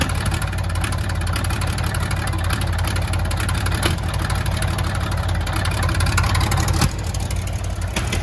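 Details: Old cabover truck with a donor engine, first start in 27 years, oil pressure about 80 psi: steady, even, low diesel rumble with no misses or knocks; normal idle.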